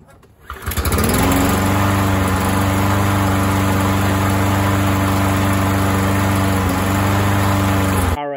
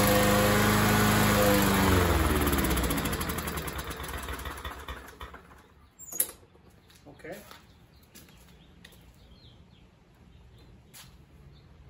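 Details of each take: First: Running of an MTD 21-inch push mower with a 140cc engine, after repair following a couple of years sitting, on a 95-degree day. It catches on the pull, settles into a steady governed speed with no hunting or misfire, and shuts down cleanly: normal running. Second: First start of an MTD 21-inch push mower with a 140cc engine that sat for a couple of years, primed several times. It fires, runs a couple of seconds, then sags and dies; owner guesses a carburetor issue.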